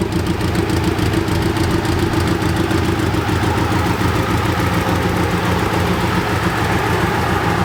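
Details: BMW K100 cafe racer, after off-camera repair of the no-start problem: steady even idle with no misses, knocks or ticks throughout; running nice and smooth.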